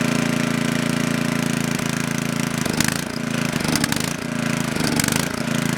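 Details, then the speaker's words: Coleman Powermate Maxa 5000 ER generator, reassembled from parts, running on half choke with governor active: engine hunts up and down about once a second; lean, starving for fuel with choke fully open, carb cleaning suspected needed. "Alright, it runs on half choke, but it starts, the governor takes over, and it's starving for fuel when you put the choke all the way open."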